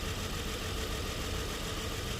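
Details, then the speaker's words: Nissan Murano V6 idling with an uneven, lumpy low thumping and heavy jerking; cylinders 3 and 4 not working: rough idle with misfire. "ये तकरीबन 6 सिलेंडर गाड़ी है, V6 engine है और इंजन में बहुत ही ज़बरदस्त मिक्स फायर हो रही है, ज़बरदस्त जर्किंग"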